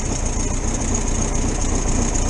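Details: 1973 VW T2 camper, cold after carburettor jets were unblocked and adjusted: steady, even low thrum on choke with no misses or stumbles. Normal cold idle; owner suspects a small exhaust leak.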